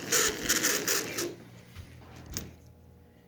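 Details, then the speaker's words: Marx 400 toy train locomotive, sat unused for years with frozen wheels: harsh high-pitched gritty chatter in quick bursts, then dying away; bone-dry motor gears galling, fixed with oil and WD-40. "It's really dry. Hear that? That's called galling."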